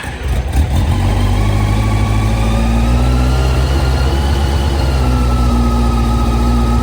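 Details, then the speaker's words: 2001 Yamaha FZ1 four-cylinder just after a carburetor rebuild for fuel leaks, on choke and before carb synchronization: an even, steady idle with no misses, revs settling slightly, and no fuel leaking; running smooth. "this is running pretty smooth i don't see any fuel leaking that's always a good sign"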